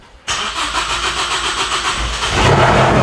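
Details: Big-turbo Ford Focus ST, first start after a year, fuel pump heard priming: it cranks briefly, catches cleanly, settles into a steady run, then picks up revs. A healthy start.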